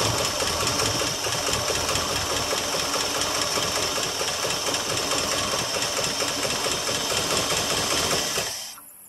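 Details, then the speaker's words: 1977 Ford F150 Supercab Ranger XLT, 460 V8, cold start after sitting: runs with busy fast ticking clatter about eight seconds, then cuts out abruptly as its little fuel runs dry; fuel starvation stall after the faulty ignition brain box was dealt with. "apparently it used all the fuel that was in the fil let fil her back up again yeah I have no idea it's got any gas and tank or whatever"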